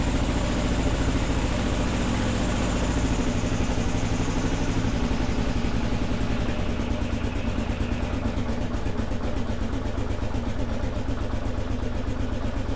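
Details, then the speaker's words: 2001 Kawasaki KLR650 single, just started after sitting 4 years (new battery, spark plug, cleaned carburetor, no choke control), warming up: single thumps at a slightly uneven idle with a little squeak, no knocking, sounding okay. "Sweet deal. We'll let it warm up a little bit. Sounds okay. Sounds like a KLR. It's got that little squeak."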